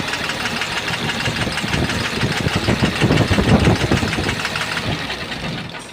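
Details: Tata Cummins diesel truck engine idling with a cover removed; heavy deep knock about three times a second over the clatter. Bottom-end knock suspected, possibly a spun bearing or bush, not confirmed.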